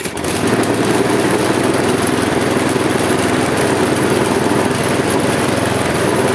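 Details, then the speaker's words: Husqvarna J55S mower, Briggs & Stratton 650 engine, old and worn, throttle tied open after restart: loud, rough running with uneven wavering revs, shaking the handles, black smoke puffs; engine hunting, cause not confirmed. "tak jak widzicie kosiarka pracuje bardzo niestabilnie bardzo nią szarpie było widać to też na rączkach pracuje w takim swoim dziwnym cyklu obroty są jakie są"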